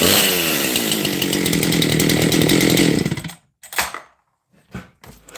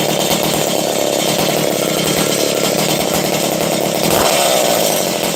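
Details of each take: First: Husqvarna 268 XP chainsaw with lightened flywheel, lighter crank, tight squish, low exhaust roof and case-fed transfers; at full throttle it screams with a loose, burbling, uneven four-stroking beat under load; carburetor running rich. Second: 268 XP chainsaw, started after being flooded and running low on fuel: loud, steady high-pitched buzz with brief dips and recoveries; runs cleanly and holds its revs.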